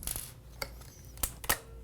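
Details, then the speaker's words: A few sharp light metallic clicks as the Gamo Urban air rifle trigger sear tries to engage but won't hold after the adjustment screw is turned a full turn too far; backing off a quarter turn restores engagement. "you can see the seer wants to engage you can hear it clicking but it just won't hold"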